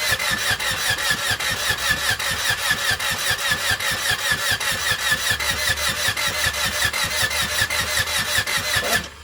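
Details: Honda EK Civic D16Y7 on first cold crank start attempt: starter cranks steadily at about two and a half turns a second but engine never catches; crank, no start, no spark.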